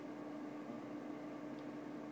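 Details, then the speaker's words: New CS-250S laser unit, key on: quiet steady whir, soft constant hum, no rattle or scraping; fan and scanner motor running normally, yet no laser output at all. "I'm going to turn it on sounds like it's running great fan fires up perfectly and no laser nothing at all"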